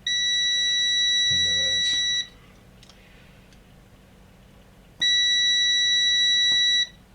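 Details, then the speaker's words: Unbranded DVD 420 DVD/MP3 player with no working buttons or eject, multimeter continuity test on front-panel tact switch: steady high beep that cuts out and returns on the next press; switch makes intermittent contact, needs cleaning or replacing. "Try this one. Yeah, the resistance is even low enough um to make it beep. Yeah, that's a bit random."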